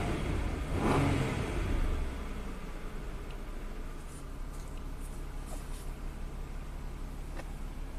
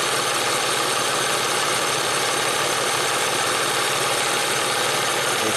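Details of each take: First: 1994 Ford Probe V6 after throttle stop screw adjustment: engine flares up briefly, then drops cleanly back to a steady, smooth 750 to 700 rpm idle without hunting; normal start and idle, ready for test drive. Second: 1994 Ford Probe V6 warming up at idle: fast, uneven ticking knock from the front of the engine; timing belt tensioner seen through inspection cover is out of oil, needs timing belt job before driving far.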